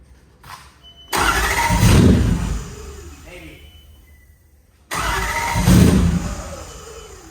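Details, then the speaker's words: Toyota 1UZ V8 swapped into a Nissan S14, first start attempt: two strong cranking bursts of a few seconds each with no firing; it cranks over well but doesn't start. "at least it cranks over well"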